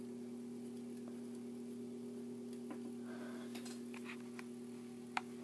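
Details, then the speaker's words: 42" Hampton Bay Littleton ceiling fan at low speed with globe fitted: steady low buzz with faint rattles from a loose little screw in the light kit vibrating; absent without the globe. "and it's the light kit buzzing around oh it's this little screw that's buzzing around"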